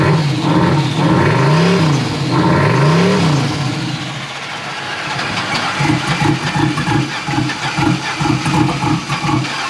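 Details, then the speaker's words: Boosted Chevrolet Silverado engine: revs up and down, then a heavy uneven knocking at about two to three beats per second; the engine is blown, internal damage. "but let me turn it on let me see if you guys could hear it knocking"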